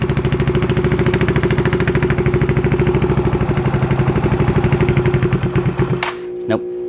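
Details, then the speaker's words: Yamaha Zuma fitted with a 158cc big bore kit, first start after the rebuild. A slow putt-putt idle sags and dies after about six seconds; the idle is too low and throttle must be held, and the owner wonders if it needs to warm up. "okay so it sounds like it's running but the idle is really low i have to hold it a little bit i wonder if it needs to warm up or something"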